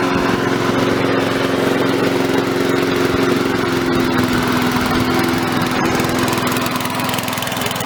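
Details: Victa mower after reassembly with fuel, a bit smoky out of the muffler. The small single-cylinder engine runs steady and even at a fast idle, with no misses or knocks; normal.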